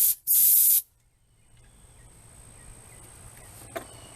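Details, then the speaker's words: Chevrolet Camaro 3.6 V6 during timing chain repair, compressed air into cylinder: sharp bursts then steady hiss as air escapes past valves into intake, indicating bad leaking valves; broken metal pieces and small roller bearings found, head may be pulled. "so that's how I know I have bad I have bad valves"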